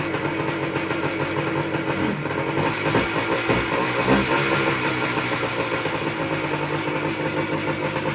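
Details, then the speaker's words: 1979 Suzuki PE250 two-stroke dirt bike, sat unused for years, first start on choke with no air filter fitted; ragged uneven burble without steady beat, cold and needing warm-up; cold engine running on choke. "all right well she runs going to need warmed up a little bit there but she runs"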